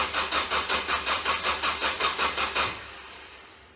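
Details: Ford Focus: steady cranking about three pulses a second for under three seconds, then stops dead without firing; bad starter shorted from burning up.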